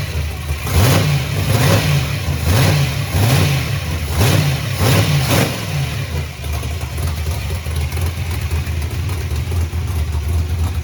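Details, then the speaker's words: Chevy Nova V8 just after both carburetors were rebuilt (one found full of trash) and refitted; several quick throttle blips rising and falling cleanly, then a smooth, even idle, running right again. "okay so carburetors are rebuilt and they're back on the car and the car runs again"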